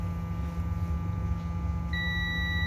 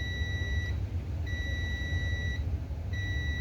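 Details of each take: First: Acer B560H6-M7 motherboard with a no-power fault. A multimeter continuity test on the 1R0 and 2R2 fusible resistors near a suspect MOSFET gives a steady high beep over a low hum. The resistors are good. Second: Continuity test on the last main MOSFET of an ASRock B560M-HDV motherboard that will not power on: repeated steady high beeps, each about a second, over a low hum, in both directions. The MOSFET is shorted and must be removed.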